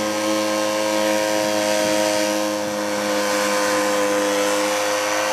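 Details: Sears 1.2 HP air-cooled outboard, over 38 years old, running under way on a river alongside a trolling motor: small two-stroke buzzing steadily with even pitch and no misses; sounds healthy.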